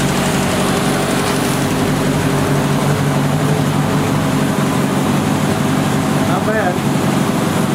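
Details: 1970 Opel GT barn find, first start in about 30 years, after a carb swap, new points and Bosch platinum plugs: mostly steady idle that stumbles now and then, a light miss. Choke is fully open; owner suspects carb and choke misadjusted.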